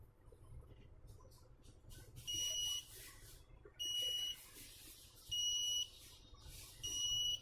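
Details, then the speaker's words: DVR powered by a 12 V 5 A adapter gives loud half-second beeps about every 1.5 seconds over a quiet hum because it is not detecting its hard disk. "Brother, whatever you want is coming on the DVR, okay, it is not detecting the hard disk, it has sound, only then I insert the hard disk, ok , I will insert it, did you ever check recently?"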